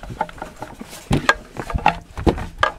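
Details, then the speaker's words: Brush cutter with diaphragm carburetor misfiring depending on position: irregular light knocks and rattles as the fuel tank is shaken, after fixing the dried fuel line that stopped the strainer reaching fuel; strainer now moves freely in tank. "on l'entend qu'il se promène dans le réservoir voilà c'est une panne toute bête que ne vous doutez certainement pas c'est l'histoire de la durit qui est sèche et qui empêche la crépine de venir chercher l'essence"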